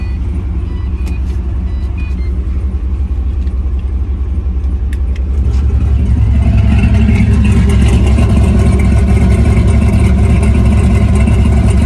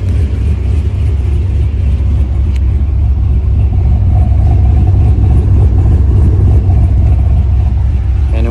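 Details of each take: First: V8 with exhaust cutout after tune changes smoothing timing corrections: loud, deep, steady idle with even burble growing fuller as cutout opens; no misses, smoother idle. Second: Idle with an exhaust cutout and a tune adding timing at underspeed and removing it at overspeed, about 3-4 degrees total, fuel use about 0.8 gal/h: deep, uneven lope, three or four lumps a second; lopey idle from timing corrections.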